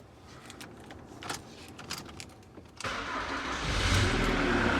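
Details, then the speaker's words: 2008 Jaguar X-Type 2.0 diesel, previously noisy, rattling and smoking with fuel pressure regulator codes, after a corroded fuse box feeding the IMV was replaced: starts and idles smoothly, rail pressure normal around 260 bar instead of 1800. "as you can see rail pressure is normal now so around about the 260 bar mark and it doesn't get anywhere near that uh 1800 bar that was idling have before"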